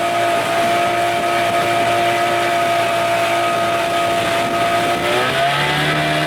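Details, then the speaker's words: 1989 Evinrude 25 hp longshaft remote two-stroke outboard after a carburetor swap, wide open on a windy lake, slow with the canopy possibly holding the boat back: steady high drone, then a clean pitch drop as the throttle closes; it runs well. "well we're not going very fast but we're going that's wide open right there I think canopy's holding us back"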